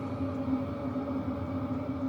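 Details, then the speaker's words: Hcalory Toolbox Heater 2 diesel heater turned down to level 6 (~50%), drawing ~25–30 W, recorded from about 7 ft; steady low hum with a soft even pulse, no pump ticking; normal running. "we're going to drop this down let's go to almost 50% we'll go to six see what it looks like and that definitely makes it a little quieter no fuel pump tick I can't hear one can"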